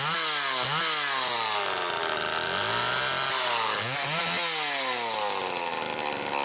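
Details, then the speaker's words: 1974 Homelite XL-2 vintage chainsaw after repair (condenser/ignition assembly replaced restoring spark, plus duckbill valves and hoses): crisp two-stroke buzz picking up cleanly and dropping back smoothly on throttle blips; running perfect. "running perfect so it needed a few other little things like they most always do"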